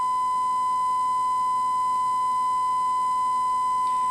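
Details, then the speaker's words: 1968 Panasonic RE-7671 AM/FM receiver, germanium amplifier left channel fed a 1 kHz sine wave: buzzy, harsh tone instead of a clean one, with the top half of the waveform clipped. The right channel is clean. Clipping from incorrect output bias. "it's below DC its below the center line"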